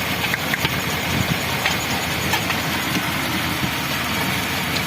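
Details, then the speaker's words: Toyota Kijang 2000 1RZ engine, limping and lacking power, fuel pressure OK: uneven, loping idle with a missing beat; pulling the number 4 plug lead changes nothing, so cylinder 4 is dead, with suspected compression leak. "Kompresinya ada bocor. Nah, ayo nomor 4 kita cabut. Nggak ada ngaruh sama sekali."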